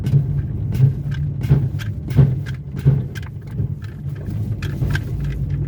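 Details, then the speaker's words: VW Gol creeping and braking, dull knocks from the front suspension about once a second; worn loose control arm bushing letting the control arm shift forward and back under braking. "sim faz barulho pessoal porque porque a bucha da balança folgada a balança está correndo para frente para trás"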